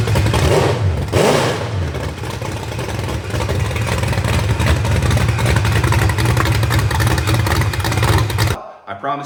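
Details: Rebuilt genuine 1970 Corvette LT1 V8, being built for a 1957 Chevrolet Nomad; deep even rumble with clean rev rises and a smooth settle back, with no knocks or ticks. Normal running and revving.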